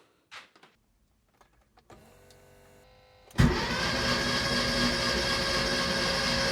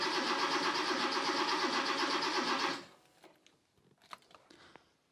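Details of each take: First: Rebuilt Porsche 911 Carrera engine, first crank after rebuild with spark plugs out and injectors disconnected to prime oil pressure: faint clicks, then fast, even starter whir about twice a second with no firing. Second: Rebuilt Porsche 911 Carrera engine, first start attempt with new sensors: even cranking for almost three seconds with no firing; crank reference and mark sensor connectors were swapped, and it started once they were switched.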